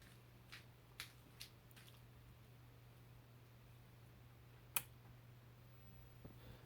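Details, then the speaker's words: 1957-59 His Masters Voice F5A6 black-and-white TV being restored, at power-up: irregular sharp pops over steady low mains hum as set warms; source unknown, owner suspects arcing somewhere. "That popping sound. I can't pinpoint where it's coming from."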